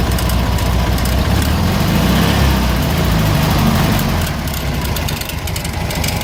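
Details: 1970 first-series VW Fusca (Beetle) air-cooled engine: loud, uneven idle with rough low thrum and clatter of about three or four beats a second; abnormal noise, source unknown.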